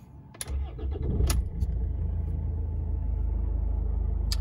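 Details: 2004 Rover 75 2.0 TD diesel manual, 102,430 miles, freshly serviced: keys rattle, starter cranks briefly, catches straight away and settles into even steady idle with no knocks, no warning lights.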